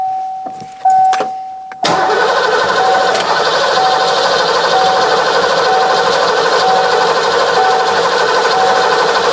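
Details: 1990 Ford Mustang GT 5.0 V8 manual, 16,000 miles, sat since 1994, fuel system not working: after solenoid clicking and a slightly stuck start, steady even starter cranking about one beat per second without firing; cranks smoothly and builds oil pressure, no start expected.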